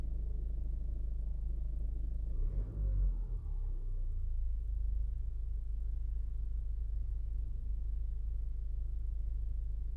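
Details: 2016 Ford Focus engine at idle: a low, fairly regular knock that goes away for a few seconds after a slight rev and then returns; the cause is unknown.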